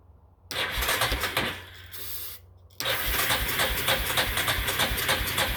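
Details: Yamaha engine that sat outside two years or more cranks steadily, about 3.5 beats a second, but never fires. Crank-no-start, cause suspected, not confirmed.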